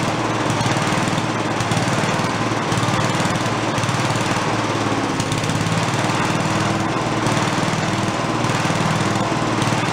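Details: Giant Vac walk-behind leaf blower, primed, first run: buzzy two-stroke holding high revs at full throttle with slight waver, no misfires or coughing; carb has no idle circuit, so it won't idle.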